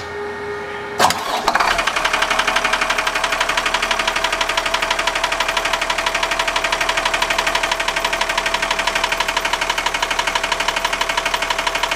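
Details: New Cummins diesel repower engine, right out of the box, still knocking after an object was removed from behind the crankshaft pulley: starts and idles with a steady sharp knock about three times a second.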